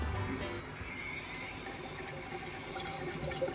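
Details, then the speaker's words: 2001 Mustang GT 4.6 V8 5-speed, blown head gaskets: a homemade leak-down tester pressurises the cylinders to about 20–30 psi. Steady fizzing and gurgling in the coolant as every cylinder on the head leaks into the cooling system; combustion leak. "Oh yeah, she's cooking coolant. Yeah, that's our homemade leak down tester, by the way. We didn't have a leak down tester, so. Yeah, head gasket shot."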